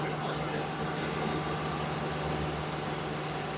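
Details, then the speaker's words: 2019 Ford F53 with 6.8 V10 petrol engine idling smoothly with a steady low hum after a P0304 cylinder misfire repair and replacement of the right-side shaft (eje); the earlier noise is gone and no codes are present. "parejito solo le enseño la llave y prende ahí está el que ya no se escucha ruido"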